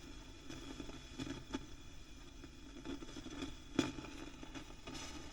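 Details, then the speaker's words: Fifty-year-old Selmer Treble & Bass 50 W SV Reverb valve amp being restored: faint random crackles and pops over a low hum as the bias rose above 20 volts; the owner suspects a faulty tube, but the cause is unconfirmed. "so is there something wrong with one of these tubes that's going loud hasn't it but that doesn't sound good does"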